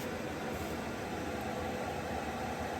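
Even, steady rushing hum with no rhythm changes, ticks or rattles; the heater is running smoothly and blowing normally.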